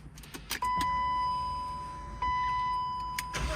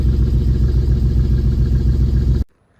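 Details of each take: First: BMW E36 started for the first time in two years, mass airflow sensor unplugged: cranks a few seconds, catches, uneven loping idle with stumbling beat. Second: BMW E36 started for the first time in two years, after plugging in a previously disconnected ignition coil: even, regular low pulses at idle with no skips or stumbles before shutoff; all cylinders firing cleanly, normal idle.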